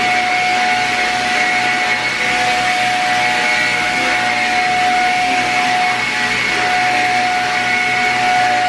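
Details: Shark Rocket upright vacuum after cleaning to fix low suction, tested on a dirty carpet: steady high motor whine with an even airflow rush and no pitch dips or rattles; the vacuum runs normally with good suction.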